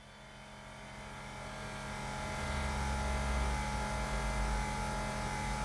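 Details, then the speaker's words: 2017 BMW 5 Series F11 with new air suspension compressor fitted to fix rear sag: steady electric buzz with low hum builds smoothly as it raises the car; healthy, should reach at least 10 bar. "The moment of truth, can this new compressor raise this vehicle?"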